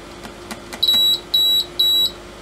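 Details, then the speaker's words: Agilent E3633A linear bench power supply under repair, multimeter on output: a few faint clicks, then three short high beeps as the output is switched on and it goes into error mode, reading about -0.4 V; error beep on output enable. "as soon as i go output output on it basically goes into error mode"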